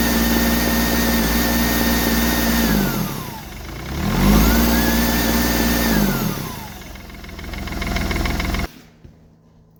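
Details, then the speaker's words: Smart Fortwo 450 CDI 0.8 L turbo diesel after a turbo cartridge replacement, preload set to three turns, oil pressure up: two clean rev blips, turbo whistle tracking engine speed, no grinding or rattle, sounds better than the old unit; healthy turbo. "that sounds a lot better than the old one. And the shaft is tightened up on there."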